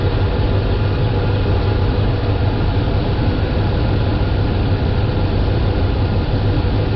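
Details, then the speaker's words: Dodge Ram 5.7L Hemi V8 (2003 stated, 2010 1500 in description), couple hundred thousand miles, after replacing a leaking power steering pump, idling with wheel worked lock to lock: steady, even low idle, no whine or groan; normal pump operation. "i'm going to take the steering wheel run it from lock to lock or stop to stop a few times see how it sounds and then we'll check the fluid level"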